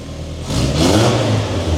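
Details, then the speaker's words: 1981 Toyota pickup rock buggy, first start in over 7 years after starter and fuel work: catches after a short crank and revs cleanly with smooth even rumble, no knocks or misses, normal start and rev. "Start right up. No problem. Whatever. It works!"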